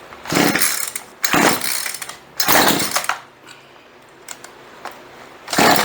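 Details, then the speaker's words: Chainsaw sat 4 or 5 years, fuel lines rotted, carburetor untuned, on choke: four pulls each give a brief sputtering burst that dies; nearly fires but won't keep running. "Yeah, she's pretty close. Let's choke her down just a little."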